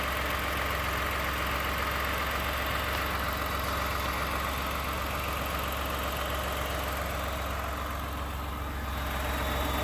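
Steady idle with a light, fairly regular metallic rattle about four times a second over the engine hum; knocking at idle, cause unknown.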